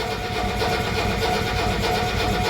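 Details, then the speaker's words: 1985 Mercedes 300TD diesel cranked for 10–15 seconds to bleed air from the fuel injection lines until fuel drips out. Steady starter cranking with even compression pulses and no firing; this is expected, since it is not meant to start yet. "So, we got to crank it and it's not going to start. It's just going to get the air out."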